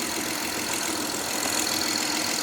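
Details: 2011-2017 Honda Odyssey, first start after timing belt kit replacement (over 12 hours of work): steady, even idle with a smooth hiss, no knocks, ticks or misses; normal idle.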